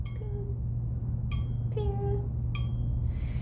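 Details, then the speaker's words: Jeweler's saw blade loaded under frame pressure and tightened: three bright, clear high-pitched pings ringing and fading quickly; a loose blade instead gives a dull thud. Correctly tensioned blade. "If you've loaded it properly, you should hear a high-pitched ping, okay?"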